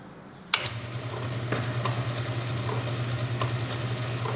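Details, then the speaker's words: Ammco 7-inch (180mm) stroke metal shaper, newly arrived, just plugged in and running: steady motor hum with light, evenly spaced click-click from the ram stroking back and forth; running normally. "See, it's just kind of I don't know what it is. It's just pleasant, right? They got this little click click click click, you know, kind of uh noise that they make and uh they just stroke back and forth."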